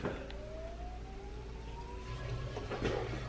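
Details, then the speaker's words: VW MK7 Golf R with built motor and built head, before first start, fuel pump run via OBD-11 with a little under a quarter tank: faint steady electric whine slowly rising in pitch over low hum; normal fuel pump priming. "right now i'm going in obd-11 to run the fuel pump there's about a little less than a quarter tank"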